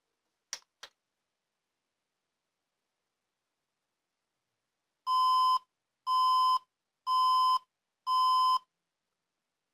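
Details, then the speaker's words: HP Compaq dc7800 Ultra Slim PC powered by a 90 W HP adapter: two groups of four steady beeps with four red flashes, the insufficient-power error; it boots fine with a 200 W adapter. "So, it doesn't work. It beeps four times and flashes four times."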